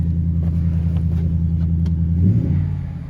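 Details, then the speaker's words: 2022 Jeep Grand Wagoneer with 5.0 V8, low miles, no warning lights: deep, even burble at idle, then a quick clean blip of revs that drops back smoothly; normal healthy V8 idle and revs. "Sounds healthy. Let's pop the hood, check it out. Man, that sounds good."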